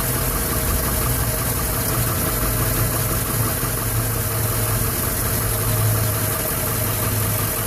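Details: 2011 Silverado 5.3L V8, 126,000 km, after sitting 8 hours: struggled to start, then idles with an uneven, shuddering rumble and light ticking, nearly dying; valve cover with built-in PCV recently replaced; cause unknown.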